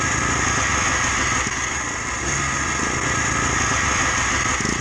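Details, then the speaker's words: Yamaha Blaster 200 two-stroke running steadily, raspy with a thin tinny ringing on top and increasingly thick smoke; owner suspects worn bottom-end bearings and failing crank seals. "Really hear that low end bearing sound now. It's getting real tinny."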